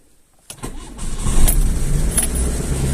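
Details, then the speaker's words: VAZ classic 1.5 with rebuilt Solex 21083 carburetor, first start in frost, full choke, neutral: quiet, catches in half a second into rich steady fast idle on choke; stalled lean once, mixture enriched. "на підсосі працює бачимо Стрілка на нулю трішки додам суміші заглохла бідна суміш зараз забагатимо щоб на підсоціі її не мучити"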